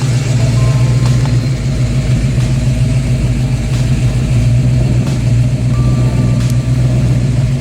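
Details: Ford Fox Body Mustang 302 V8 after parking-lot GT40 heads, intake and B303 cam swap: deep, loud, lumpy idle with steady throb and uneven lope, no throttle input; much different than before, healthy idle with aggressive cam.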